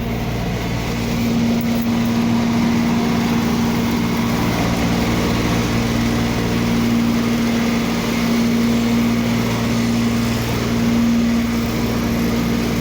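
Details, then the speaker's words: Reefer truck chiller fan blower after fixing a fuse bad error: the fuse blew because worn-down carbon brushes burned out; new carbon fitted, blower now runs with an even, steady hum, no rattle or surging. "oh Ayan po ang kanyang pint umaandar na po"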